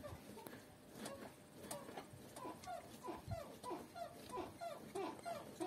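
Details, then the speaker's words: Squeaking suspension on a new Lada Niva Travel, body rocked by hand at the fender: rubbery squeaks about 1.5 per second, from rubber parts such as stabilizer or control arm silent-block bushings; control arm bushing squeak. "отчетливо слышим скрип вот скрипеть здесь может все что угодно где есть резинки скрип отчётливо резиновый"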